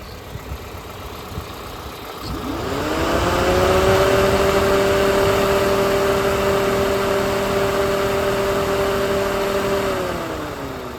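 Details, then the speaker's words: 2006 Toyota Corolla idling after radiator fan replacement: fan whir rises on switch-on, holds steady several seconds, winds down as it cuts out; normal cycling, old fan hadn't moved enough air. "So after you've installed it, you can hear it turn on and off. So it's just turned off right now, and then I'll click back on."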